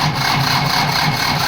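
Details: Ford that won't go into gear and was left parked, failing to start after four bottles of water were added. Labored, dragging crank with a rough rasp pulsing about four times a second; the starter struggles on a weak battery.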